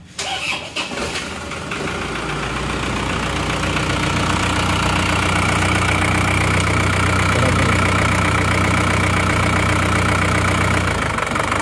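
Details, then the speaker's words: Diesel car that had not run for 3 years, first start after priming the fuel; cranks briefly, catches and settles into a steady even idle clatter, no misses or knocks; slight noise possibly from long disuse, normal idle. "halus ternyata cekit tapi mungkin karena efek lama belum dihidupkan terpantau aman ya"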